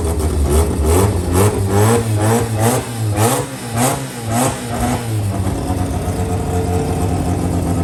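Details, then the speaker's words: JDM Mazda FC RX7 rotary, first start after sitting, with fresh 98 petrol, new battery and new fluids: catches, settles into a lumpy idle, then blips up and down in quick revs pulling cleanly; normal running. "Hell yeah. So there you have it. FC's running, going."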